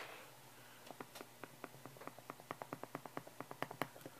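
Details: Shure SM57 microphone grille cap rattle: quick, dry clicking rattles through the speaker as an SM57 is moved; Shure offers a free fix.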